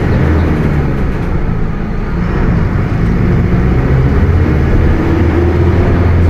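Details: Bus with Mercedes-Benz OF 1721 BlueTec 5 chassis, Caio Apache Vip IV body, under way: deep steady drone with faint humming tone over road rumble; differential howling.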